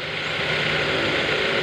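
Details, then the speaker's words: BMW E46/E36 engine idling during a used-car condition check: even, steady hum with constant hiss and no knocks, misses or surging, judged fairly smooth; normal idle. "Sekarang kita nyalain mesin untuk kita cek lebih lanjut suara mesin dan idle. Kalau suaranya kayak gini, ini bisa dibilang lumayan halus."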